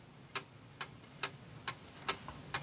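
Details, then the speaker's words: Antique Seikosha wall clock movement after reassembly: tick and tock evenly spaced at about two per second in a quiet room. The clock is in beat. "sounds pretty even. And now what I had to do was move it this way."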